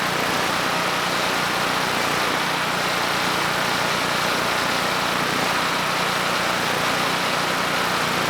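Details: Generac GP5500 generator (low compression) back on its first carburetor with the vacuum leak and fuel leak fixed; started first pull, choke off after about 10 s, under a 1500 W load: constant steady drone, no surging or sputter, running clean.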